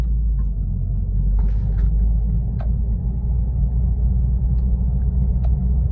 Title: How to find Bad wheel bearing noise inside the car. #wheelbearing #toyotacorollaaltis.